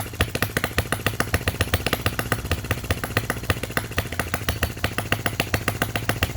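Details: Miniature Lister D working petrol engine (OKMO/Retrol), first run after first-pull start, with fresh sump oil, petrol and hopper cooling water: quick, steady chuffing beats with a crisp exhaust bark, no misses or stray knocks. Healthy single running evenly, normal.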